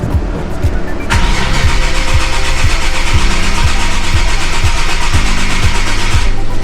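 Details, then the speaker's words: Nissan 370Z (VQ VHR engine) after a 30-row oil cooler install: the starter cranks steadily at about two compression pulses a second with the camshaft position sensors unplugged, priming oil through the new cooler lines. The engine never catches, so a no-start is expected. "i'm going to use the ecu tech dongle an app from the g because it's probably going to throw codes when i tried to crank it with the camshaft position sensors unplugged [Applause] yep definitely doesn't want to start"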